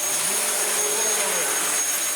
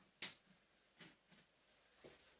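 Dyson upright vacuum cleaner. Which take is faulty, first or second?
second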